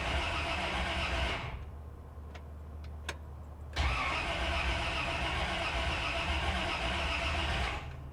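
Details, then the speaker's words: 1956 Cadillac revived after sitting several years, after rewiring the starter solenoid wire; strong, even cranking with a brisk regular beat, then the engine catches and settles to a steady run; starter now turning properly. "Definitely sounds better."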